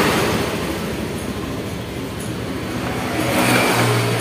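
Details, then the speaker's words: Honda Scoopy eSP fuel-injected scooter after fuel pump filter fix: kick-started first try, idles steadily and evenly, picking up slightly near the end, no misfire or stumble; normal idle. "Sekali langsung jereng bosku Ya jadi e permasalahannya cuman di bagian filternya saja bosku"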